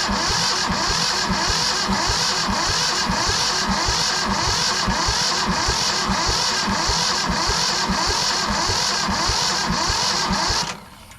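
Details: Yanmar YM1500 two-wheel-drive diesel tractor, reported non-running: steady starter cranking at about four compression beats a second with no firing; cranks but won't start, black diesel found in the fuel system.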